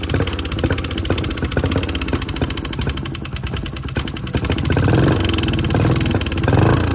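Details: On a 2014 Honda CRF125F that never ran right after the previous owner's rebuild, it idles rough and lumpy with a loud pecking about four times a second. It has no power and smokes a lot; cam chain timing was found out of time.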